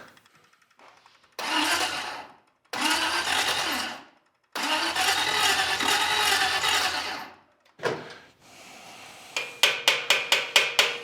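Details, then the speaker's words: Packard custom restoration, first engine start-up with dual carburetors: several short starter bursts crank slowly and the starter sounds funny, but the engine won't fire. Cause is not confirmed. "Yeah. It's cranking kind of slow. The starter sounds funny. It's not breathing life."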